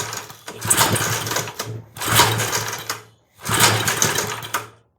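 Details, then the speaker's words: 1970s Hahn Eclipse BHT-120 tiller with a 3.5 hp flathead Briggs & Stratton, 60 psi compression, cleaned carburetor: three pull-cord cranks, each one coughing and sputtering but never catching; sputtering false start. "Oh, did you hear that? Come on. Oh, we got it. Now, how do I keep it running? Oh, it just quit on me."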